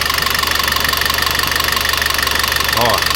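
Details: Citroën C4 2.0 engine noise at idle; suspected low oil pressure, oil pump or lifters; sharp light ticking about four per second following engine speed, dry hydraulic lifters tapping.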